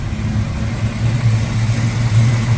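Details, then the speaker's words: 1972 Dodge Challenger, 340 V8 (originally 318), automatic, after valve cover gaskets, heater core and oil change: smooth, even low burble at idle with steady beat, no ticks, knocks or stumbles, radio in background; strong-running engine. "And we'll take a look at the lights and take a listen. Good running car."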